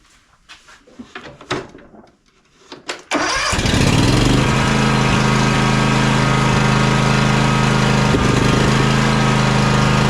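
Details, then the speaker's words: John Deere X300 riding mower twin after cleaning, choke fix and carburetor service for surging and rough running at full throttle: brief cranking, then a steady even beat around 220 a minute, no surging or misses; normal running after repair. "let's check that choke it's going up and down like it should now everything's working let's fire it up and see what happens"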